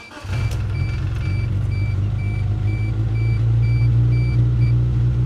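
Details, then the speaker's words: Geo Tracker that would not start, fixed by cleaning the fuel injectors with carb cleaner: it catches quickly and settles into a steady, even idle rumble with no misses. Exhaust smells bad. "look at that folks yes she sounds great oh my gosh oh my gosh listen to her purr"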